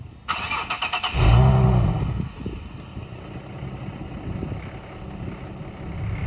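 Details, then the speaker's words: 2009 Infiniti G37x at idle after start: loose tinny rattle from underneath, also in reverse, silent while driving; owner suspects catalytic converter heat shield vibrating, not confirmed. "so when I turned the car on I know you guys could hear that like rattling noise and that's actually from the cat like the heat shield I guess um it's like rattling whenever it's idling or in Reverse"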